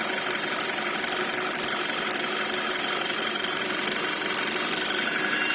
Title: Audi Q5 2.0L turbo - Whining noise from gearbox